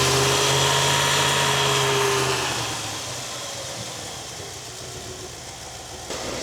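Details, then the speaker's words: 1961 Buick LeSabre after radiator and fan upgrade, coolant flowing: engine revs up smoothly and settles, only exhaust and engine note, no fan roar; quieter, healthy cooling setup. "I'm going to rev it up. And you just hear engine sound, which is nice."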